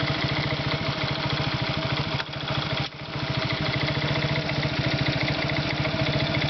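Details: Irbis Virago 110 motorcycle small single-cylinder engine at idle: rapid, hard ticking knock on every beat; internal engine knock, cause not pinned down.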